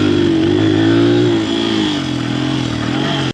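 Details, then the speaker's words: Honda 100 dirt bike on the track, gutless and falling on its face, before a replacement carburetor: engine note sags and flattens as throttle opens, pitch dropping rather than climbing; it bogs with no pull, fuel delivery suspect. "you just give it the gas you guys hear how bad that runs just like got no get up and"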